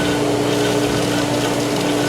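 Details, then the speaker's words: Polaris pool booster pump with air in the line from the emptied solar heater: a loud, steady drone with a churning, gurgling rush. The pump is still cavitating while working the air out before catching prime. "when it goes we're going to get that really really loud so and getting rid of the cavitation"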